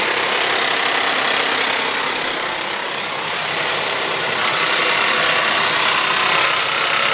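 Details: Suzuki Vitara V6 at idle: a loud, busy metallic rattle at about three to four beats per second. Owner attributes it to the timing chain; this is unconfirmed.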